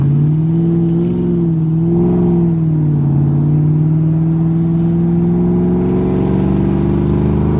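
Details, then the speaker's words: 1994 Ford Mustang GT convertible automatic, which shuddered badly before filter, gasket and fluid change. Hard throttle on the road after service: one steady rising drone, no surging or shudder; smooth transmission under acceleration. "Felt a shudder, not even once. Very nice."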